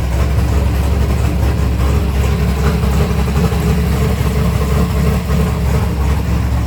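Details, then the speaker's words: 1964 Ford Fairlane V8 with modified dual carburetors, cold and not yet warmed up: deep, steady burble idling about 900 rpm, smooth and even, no misses or surging; normal idle. "What's the idle in that? >> Uh, idle's right under. So, >> right under what? 1,000. >> Yeah. >> So, like 900. >> 8 900. >> Oh, yeah. That's perfect."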